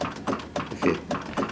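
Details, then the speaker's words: 1925 Ransomes steam traction engine on its first public run: steady beat about four strokes a second with a faint knock from worn big end bearings. "can hear it knocking slightly in the background, but it's just, we thought we'd get away with it, but no."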